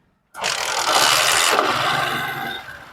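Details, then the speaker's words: Discover motorcycle after timing chain replacement: engine starts cleanly and runs smooth and quiet with no chain rattle, whereas before the repair it clattered noisily. "आवाज में कितना फर्क आ गया है। पहले कितनी खचर पचर कर रही थी, अब कैसी साइलेंट हो चुकी है।"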